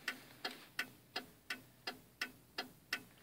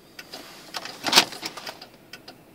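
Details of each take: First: 1995 Cadillac Fleetwood turn signal, during a socket repair after the blink rate varied: crisp, evenly spaced flasher clicks at about 85 per minute, the normal rate. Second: 1995 Cadillac Fleetwood turn signal: sharp dry clicks, uneven and quicker than a normal blinker, speed varying and gradually slowing. Faulty turn-signal socket suspected. Fast flashing.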